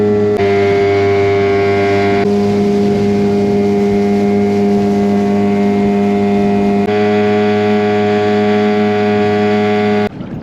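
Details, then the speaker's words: 2003 Mercury 15 hp outboard after restoration, after a couple hours running on the water: steady even hum at constant speed with no misses, surging or knocking; normal running. "guys so I've been out here for a couple hours this motor runs excellent"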